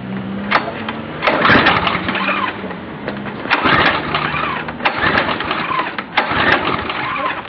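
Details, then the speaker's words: Briggs & Stratton 5.5 HP Quantum engine on pressure washer, about 3 hours use, carburetor and fuel lines cleaned, new spark plug, fuel reaching float bowl, occasional backfire; repeated recoil pulls spin engine but it never catches, cranks but won't start. "and there you have it it will not start"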